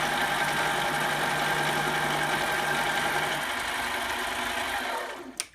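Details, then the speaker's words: Mini metal lathe cutting aluminum: buzzy, rattling chatter because the tool post wouldn't tighten down and the workpiece lacked support. "there is a lot of chatter in there you can hear it if I had some support out here we'd probably do better but really well you know what my tool wouldn't even tighten down"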